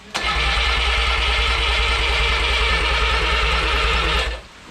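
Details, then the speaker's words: Original Renault 4CV engine (circa 1949-52, welded cracked block) reassembled after ~70 years in parts, first start attempt: steady starter cranking with about three compression pulses a second for four seconds, never catches; compression seems present. "i mean it sounds like there's compression as well yeah maybe that plug is necessary"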